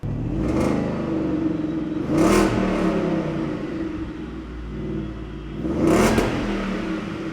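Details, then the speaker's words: 2017 Shelby F-150, supercharged 750 hp 5.0 Coyote V8, new stainless dual 3.5-inch exhaust test-run before piping goes over the axle: deep burble with raspy, crackly edge on throttle blips; some leftover rasp. "All right, this thing's got some depth to it. It's exactly what I'm trying to do. Kind of a bit of brep, what we were dealing with on the Voodoo engine."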